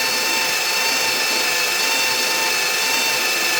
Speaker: Oh yeah, it's way faster. 4, 5, 6, 7, oh yeah. Turning much quicker. Way better sound, it's not laboring.